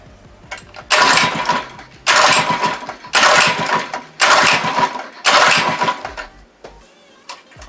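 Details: Monster Moto/Mega Moto 80cc mini bike unstarted for six months, choke on: five pull-start bursts about a second each, engine coughs briefly but never catches; hard starting.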